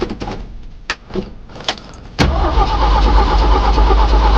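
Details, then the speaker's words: A few clicks, then a cold Jeep engine cranks at a steady, even pace with no catch and won't fire. Cranking sounds good and no cylinder seems to lack compression; it cranks but won't start. "It's cold. But you know, the crank sounds good. I will say that. The crank sounds good. It doesn't sound like, you know, we don't have compression in one of the cylinders."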